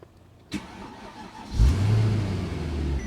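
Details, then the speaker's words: Mercedes S63 AMG, first startup after A/C compressor and condenser work, engine had sat without oil a long time: quick crank, catches at once and settles into a deep, smooth, steady idle with no knocks or misses. Cooling fan running. "sounds good sounds really really good that first startup of course she didn't have oil for a long long time but she sounds fantastic"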